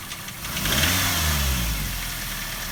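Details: Daihatsu Terios 1.5 in for diagnosis: engine idling and briefly revved with a dull knocking through the idle; source unknown, valve clearance check planned first.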